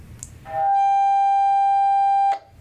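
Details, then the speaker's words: Handheld radios: transmitter on 147 MHz, receiver on 441 MHz; steady whistle near 800 Hz for about two seconds, then cuts off, as transmitter third harmonic falls in receiver passband, causing interference. "So they're tuned to completely different channels, but since the third harmonic of the transmitter falls right into the passband of the receiver, you still get interference."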